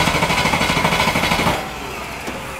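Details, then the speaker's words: Range Rover Classic V8, about 30 years old, sat 7 years, fuel system recently apart: even starter cranking that never catches. Spark confirmed strong and timing sounds fine; fuel is not priming, suspected failed fuel pump. "it's definitely fuel let you say it's had the fuel system off and that sounds to me like it's not priming at all yeah so I'm saying it's the pump"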